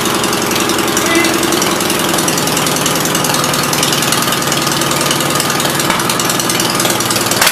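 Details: 1976 Gravely 816 single-cylinder engine, valves ruled out, battery connection found at fault, new spark plug fitted: loud, raw open-pipe bark, firing steady and even with no skips or knocks; normal running.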